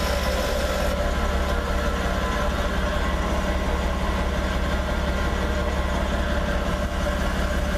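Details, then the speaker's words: Jeep idling in gear, foot on the brake, after a rattle that began following a rear main seal repair was traced to a bent skid plate and fixed with fabricated spacers. Steady low drone with no rattle or buzz underneath: normal idle. "all right I'm not hearing nothing now so we must have fixed it"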